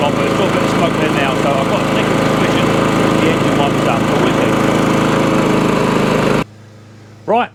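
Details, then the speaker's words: Old Mountfield Empress roller mower on test run; now barely any smoke, engine damage still unknown: steady even buzz for about six seconds, no misses or surging, then shut off. "now all up and running and it's on its test at the minute i'm not seeing no smoke if a very very small amount and i mean tiny"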